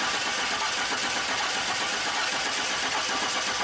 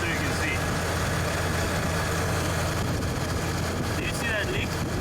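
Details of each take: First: 2002 Chevy Silverado 4.3 L, died while driving across a field, now cranks without starting: steady starter cranking for about four seconds with no firing; no spark out of the distributor cap tower, problem in the distributor. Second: 2002 Chevy Silverado 4.3 L, previously crank-no-start, after replacing defective distributor rotor and cap (damaged by a coolant leak): steady, even low idle, constant hum, no knocks or misses. Normal idle.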